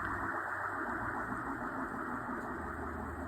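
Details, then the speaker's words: Audi S4 B8 DSG 0B5 front differential turned by hand out of car, full of oil: faint, rough grinding hiss, really loud in car at 100 km/h; worn differential bearing. "You can hear it's grinding a little bit. Not that loud, but at 100 kilometers it was like really loud."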